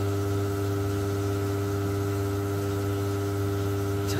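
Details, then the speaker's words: Force FX 2200 UPS on battery backup mode, mains disconnected, powering a gas water heater's controller: steady loud electrical buzz with deep hum and higher tonal layers that never changes; heater still works, cause unknown, owner worried it may harm heater. "working it's actually giving me hot water the UPS is some backup mode so it's working but that noise is driving me crazy"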